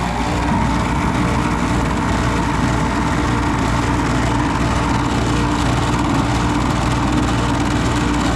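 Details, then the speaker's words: Carrier gas pack unit that wasn't heating, after a motor replacement: steady whirring hum with constant low drone and no knocks, scraping or speed changes; the motor runs smoothly. "That sounded lovely."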